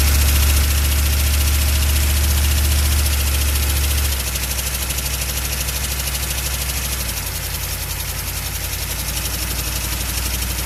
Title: chevy van 6.2 diesel engine knocking noise